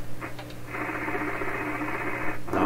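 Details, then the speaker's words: 1928 RCA Victor Model 28V radio, warmed up, running on roughly 90–100 V supply, with a plain wire antenna indoors: steady hiss, buzz and low hum with almost no program audible; antenna picks up noise, weak signal. "but just using a piece of wire in my house this wire is really full of noise without a lot of radio signal and that's exactly what you're hearing here a lot of noise"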